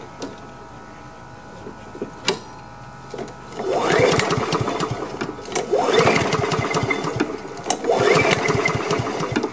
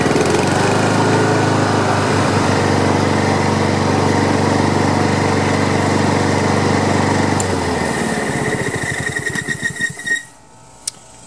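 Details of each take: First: Honda HRM215 lawn mower, choked and primed after sitting bone dry, fresh gas and freshly cleaned carburetor: catches after a few pulls, then surges in bursts about two seconds apart and sags each time; fuel starvation, fuel lines and on/off valve to be checked. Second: Free Honda HRM215 lawn mower after carburetor cleaning, pull-rope repair and clearing clogged fuel line: steady even buzz for several seconds, then winds down cleanly at shutoff. Some smoke, muffler squeal at shutdown, rear-wheel drive still won't engage.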